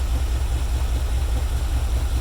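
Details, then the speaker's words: 1994 Chevy Caprice, previously crank-no-start, fixed with new fuel filter and octane booster in 20-year-old gas; alternator out, running off jumper cables; deep even idle pulse with steady rhythm and no misses; normal idle. "so this is what I'm getting now pretty pretty pretty [Music] good running engine the alternator is out so it's running off the jumper cables so um"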